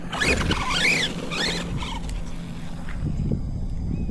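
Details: Team Associated MT10 RC truck with Castle ESC, capacitor added to stop ESC reboot glitches; motor whirs in quick bursts rising and falling in pitch, then pulses off gently in low-voltage cutoff, no reboot beeps; normal.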